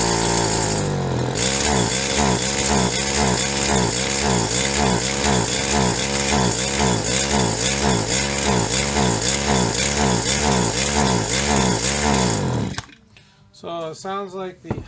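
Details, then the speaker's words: Stihl HL 75K hedge trimmer two-stroke after new parts: loud, buzzy engine hunting up and down about twice a second at full throttle. Suspected plugged high-speed mixture circuit in the carburetor needing cleaning. "mixture circuit on the carburetors plugged up so we're gonna have to take it apart again and clean it out"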